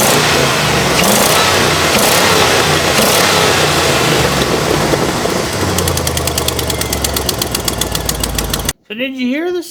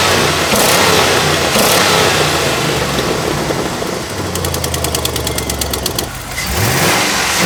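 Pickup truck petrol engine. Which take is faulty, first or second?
first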